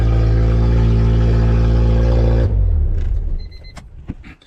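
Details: Honda EF sedan with K20 engine swap, first start (injectors were the earlier no-start problem), alternator charging being checked: loud, steady exhaust drone at even idle, then shut off; runs smoothly on its own.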